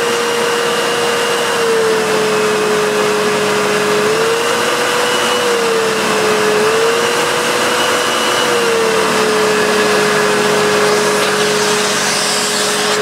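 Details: Hoover Purepower U3456 Autosense vacuum before refurb: steady high motor whine that dips and recovers as it drops voltage stepping down power settings, otherwise smooth; motor healthy.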